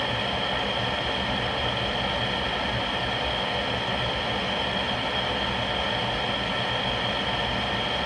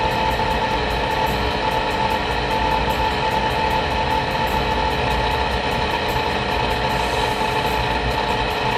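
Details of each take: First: Rheem (GE-branded) power vent water heater with a newly replaced vent blower assembly, running through a burn cycle with the burner lit: smooth, steady whoosh with an even hum the whole run, no rattle or grinding; healthy after repair. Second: Rheem water heater vent blower motor running for about a minute after startup, growing noisier over recent weeks; loud steady whirring roar with thin high whine on top; worn blower motor bearing, replaced preemptively.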